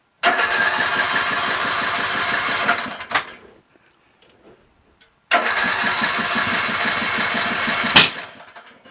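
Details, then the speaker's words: Craftsman LT1000 lawn tractor, ready for sale after three carburetor changes and sitting two days: with choke on and fuel shutoff opened, two roughly three-second cranks give ragged chugging with no firing. Lack of gas suspected. "This is not good. No. Not good at all. The plot thickens. Gas is usually a prerequisite to an engine starting."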